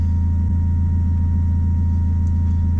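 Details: Turbo Honda Accord with a new Walbro aftermarket fuel pump: a faint steady high hum over a smooth, deep idle rumble, with the pump loud enough to hear pumping at idle.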